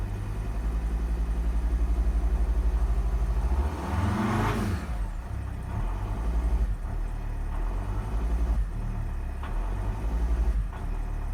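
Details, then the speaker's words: Volvo XC60 D5 diesel, possibly Euro 4, cold start, accelerator floored: barely rises, brief swelling sweep then slow uneven run, about 10 seconds to rev; fuel starvation hesitation from faulty injectors, later replaced. "you can see it took about 10 seconds to start revving there so it feels to me a bit like fuel starvation"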